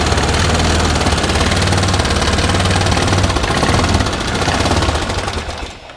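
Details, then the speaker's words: 2013 Bennche 500 single-cylinder UTV with knocking, smoking and heavy blow-by, O2 sensor faulty: steady, even thumping with no extra knock riding on it before it dies away; no fault heard now that the earlier noise is gone. "And honestly, I don't hear, I don't hear anything wrong with the motor now since that's gone."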